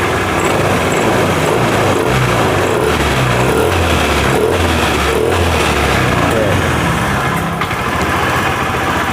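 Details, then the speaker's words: Honda Vario 110 FI (LED) that stalls after 1–2 km, fault traced to a nearly broken pulser cable causing intermittent injector spray. Now running with the fan cover still off, it settles into a steady, even idle, more stable; normal idle. "Sekarang varionya sudah hidup, sudah lebih stabil."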